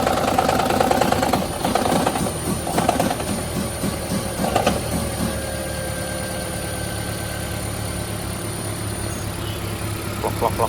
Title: Toyota Prius 2010 engine knock